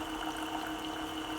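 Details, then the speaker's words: Keurig K-Compact coffee maker, previously stuck with blinking lights, fixed by reset and refilled water, brewing a small cup: steady mid-pitched pump hum with water gurgling through, even and uninterrupted; normal pump operation. "and you can hear it making a sound and it's starting to boil the water and there you have it it's working"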